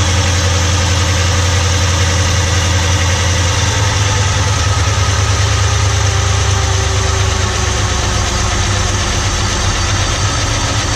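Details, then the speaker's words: Holden Commodore that had not moved for over a year, run on old fuel; loud steady idle with busy light clatter over the top holding with revs, blamed on camshaft lifters; hydraulic lifter clatter. "going to leave this running for just a bit as you can hear the clatter going on that is a whole bunch of Fe drawers for the cam shaft which you know I hate"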